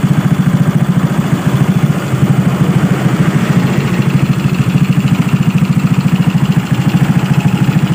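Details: Suzuki Smash single-cylinder motorcycle engine after new boring and head, being broken in, idling steadily with an even low thump; raspy hiss from the carburetor running without an air filter. Normal idle.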